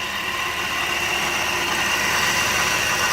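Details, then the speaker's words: 2008 Jeep Wrangler, first start after RIPP supercharger install, TPS code cleared: steady even idle with a smooth high belt-and-blower whir, mostly the intake filter noise; no chirp, squeal or knock; supercharger drive sounds healthy. "It's idling fine. Noisy little sucker. All that noise you hear is actually the intake on the filter here."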